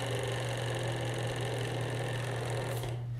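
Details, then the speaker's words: Matrix robotics racer with brass bearing plates installed on the axles: a steady low hum and even mechanical buzz with no clicking or rattle. The gear train runs smoothly and noticeably better than without the plates. "so here is actually the same racer and on this one i put bearing plates in as it shows on instructions on the website and very good to use so notice the difference here a lot better"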